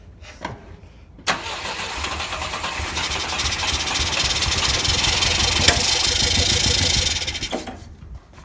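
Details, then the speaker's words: Volvo 122S Amazon sitting 23 years, fuel line and air cleaners off: brief crank, then it catches and revs up for a few seconds before fading out; fires readily, normal start. "It started right up. That is crazy. I'm tickled to death."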